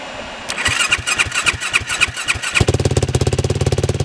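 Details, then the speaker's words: 2007 Yamaha YFZ 450 single-cylinder quad, after repair with sheet metal clamped fix and fan bypassed to a switch: starter cranks about a dozen strokes, then catches and settles into steady, even idle; healthy start, feels like lots of compression. "Well, I would say she's officially fixed. Holy cow. This thing absolutely rips."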